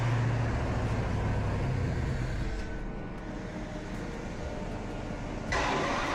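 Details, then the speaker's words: Ferrari-kit Pontiac Fiero with Chevy 350 V8 and Holley Sniper EFI, freshly restarted after broken pushrod/rocker repair, no coolant yet: fast, steady high idle with no dip, running very rich and dumping too much fuel; EFI tune still being sorted. "My head hurts from this thing running so fat back here. It's just dumping way too much gas."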